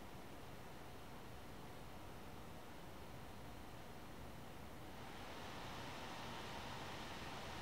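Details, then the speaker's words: One Mix 2S Yoga 7-inch mini laptop running Prime95 CPU stress test; airy fan hiss stepping up louder and brighter midway as load and temperatures climb; normal laptop fan ramping under load. "and then I'll shut up so you can hear the fan which will get louder right away and then even louder later"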